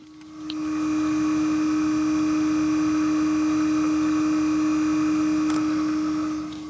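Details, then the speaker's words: Car with new fuel filter, ignition cycled to prime the system: the in-tank fuel pump gives a steady mid-pitched hum for about six seconds then stops, very quiet with the rear bench removed. "a very quiet humming and you probably wouldn't even hear that if the back bench was in"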